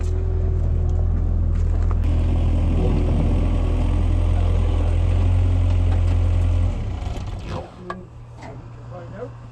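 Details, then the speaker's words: Freezing cold start on a jump box: several seconds of steady cranking that never catches; won't fire, gas then splashed into the carburetor. "ah crazy okay put some gas in here hang on it's not going down properly just open the blade and splash some in"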